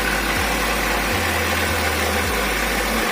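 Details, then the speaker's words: Chevrolet Rezzo with A16DMS engine, just started, running steadily with a faint, regular tapping knock that appears from about 1500 rpm; source unknown, engine to be removed and dismantled. "Значит, двигатель стучит на оборотах от 1500."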